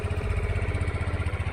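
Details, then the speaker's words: GPX Drone Keyless 2-valve scooter, registered 2021, 6,588 km, stock unmodified exhaust: an even low putter at idle with a quiet exhaust and no ticking or leaks. A normal idle. "เสียงท่อก็เงียบๆนะครับผมยังเดิมๆนะครับอันนี้ไม่มีการแต่งใดๆทั้งสิ้นนะครับ"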